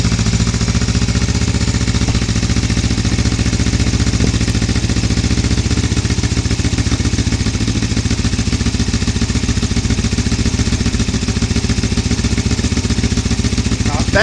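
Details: 1982 Suzuki GS450T, 8,362 miles, cold start after sitting all winter: smooth even idle putter at about four beats a second with no misses or rattles; healthy.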